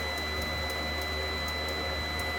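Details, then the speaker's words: Inverter number five of a 12 kW parallel setup makes faint, uneven high ticking or clicking, about three a second, over steady electrical hum and whine, before shutting down with an error that transfers to number six; units failed after 48 hours. "but we know number five makes that noise that kind of like ticking noise or clicking noise"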